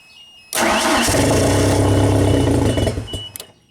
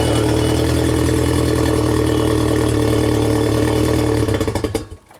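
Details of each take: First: 1992 Genie boom lift, switched to platform control; starter catches and the engine runs about two seconds, then dies abruptly as the CR4 fuel-cut solenoid relay shuts off fuel; stalls after start. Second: 1992 Genie boom lift engine started in ground-control mode during wiring diagnosis; small engine holds a steady, even note for about four seconds, then winds down and stops; it runs normally.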